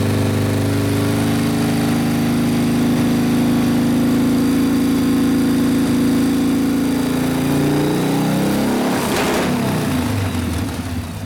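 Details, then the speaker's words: 1990 Harley FXRP custom, 80ci Evo V-twin with mild cam, ~5500 miles, sat 8+ years, accelerator pump not working, carb flooding: deep even loping idle, quick blip settles; normal idle. "so that sounds good i don't think there's a real big cam in it but it's got a cam in it yeah it runs good"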